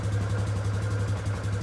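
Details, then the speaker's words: 2019 Polaris Sportsman 570 X2 after top-end rebuild, first start with cap off to bleed air: steady low single-cylinder thump at even idle, no tapping or misses; engine running right. "Alright, engine sounds good. Beautiful. Well, after a rebuild, that's always what you want to hear."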